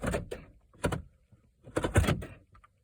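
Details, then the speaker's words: 2008 Pontiac G6 GT 3.5 L with a no-crank, no-start fault: sharp clunks in a few quick bursts as the door locks cycle on their own, alongside clicking; the owner suspects the body control module. "so my door is just locked on their own so as far as of the indication of the body control module"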